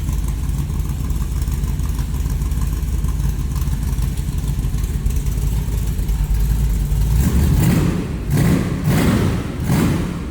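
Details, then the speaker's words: 1994 T-Bucket, small block Chevy V8 with Holley Brawler 4-barrel, what looks like an Edelbrock Performer intake, headers and side-exit exhaust: lumpy but steady idle, then quick blips that rise cleanly and drop back crisply, with nice throttle response. "It's a nice throttle response."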